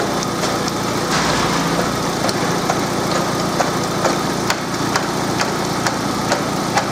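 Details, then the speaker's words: Engine idling, timing belt cover removed, belt teeth stripped yet gear still catching: steady idle with light irregular tapping about twice a second from the belt; owner told engine was knocking, belt to be replaced. "очень отчётливо слышно как этот ремень постукивает но двигатель продолжает работать"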